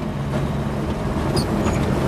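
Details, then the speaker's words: Truck converted to run on wood gasifier, after driving in second gear with some lag: engine holds a fast, busy idle well above normal with steady pitch, extremely high idle; some smoke visible. "Oh, listen, the idle very high. Idle is extremely high. You can hear it, that's much higher than normal."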